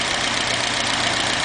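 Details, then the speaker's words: Restored 1977 Alfa Romeo Spider S2, two-litre twin overhead cam Nord engine, not yet fully tuned: steady, even idle with no knocks or misses over intake hiss; engine running perfectly. "there's the engine as you can hear it's uh operating perfectly"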